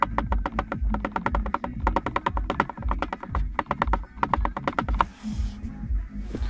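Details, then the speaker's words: Lada Vesta with glovebox removed: quick, uneven dry plastic clicks and knocks, a cricket rattle on bumps, from the loose front passenger footwell heater air duct with a gap. "Итак, разобрал я бардачок и смотрим, откуда идут посторонние шумы, стук, так называемый сверчок. И видим, что это у нас звук издает вот этот вот элемент. Это воздуховод переднего пассажира для обогрева ног."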